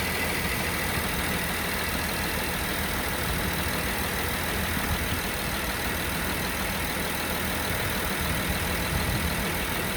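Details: VW Touareg 3.6 FSI cold at idle: dull, irregular rattling knock under a steady hum; cause unclear.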